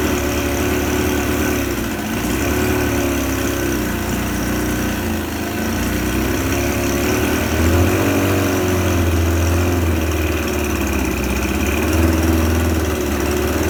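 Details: Suzuki 25HP outboard, just repaired and brought back to life, running in a test tank: steady, even idle with a smooth beat of about four pulses per second, water mixing, no knocks or rattles; normal running.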